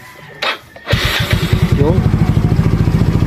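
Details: Hard-starting motorcycle with 59 mm bore; old battery dropped to about 10 V when cranking, now replaced with a new one: short crank catches first try, then a steady, even idle putter; starts and runs normally.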